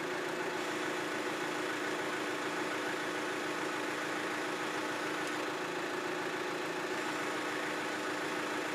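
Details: 1994 John Deere 310D backhoe after auxiliary hydraulic valve repair and auger motor rebuild; quiet, steady hydraulic hum with constant tone, no chatter or groaning, auger circuit working normally.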